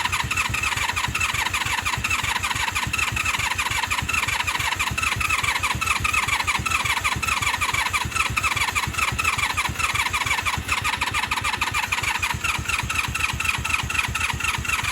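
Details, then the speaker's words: 1996 Honda Magna VF750CD after new spark plugs and coolant, battery charged, choke on: fast, steady cranking about seventeen seconds, engine trying but never firing. Cranks but will not start. "Let's start cranking. Trying. Trying, but not firing."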